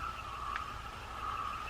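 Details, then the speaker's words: Penn Spinfisher V 7500 spinning reel, garage-sale find about 7–10 years old, spun on test after service: light, even whirring rotation noise from up top, no clunk or squeak, anti-reverse holding. Normal rotor rotation with mild age noise. "It's a nice spinner. There's a little bit of uh rotation noise, but you know, after 7 to 10 years, whatever, and whenever this was purchased,"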